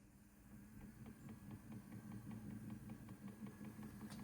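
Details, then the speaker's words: Homemade pulley-driven variable-speed rock tumbler, just completed, first run with no barrel. Quiet low hum with only faint light ticking and no rubbing or knocking: normal running. "About here, nothing. Nothing from this at all. Put the barrel on, you hear the barrel noise, and that's about it. She's running about 38, 40 RPM, which is what we want."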